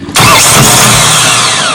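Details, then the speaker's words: Mahindra 1635 tractor with a dealer-rebuilt starter: a harsh grind on engagement, then a high whine winding down while the engine never turns. The starter spins freely because the pinion is not staying out; a weak battery or bad ground is suspected, not confirmed. "you hear that though that's uh the pinion gear is not staying out"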